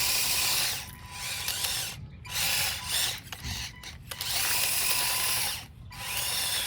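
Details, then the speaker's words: Converted RC Masito Bobcat T590 tracked loader on a 7.4 V 2S 1200 mAh battery, after a jammed rock was removed from the track: steady high electric motor whine with gear chatter, stopping and restarting cleanly; drive back to normal. "There we go. Let's try moving it. And we're back to normal."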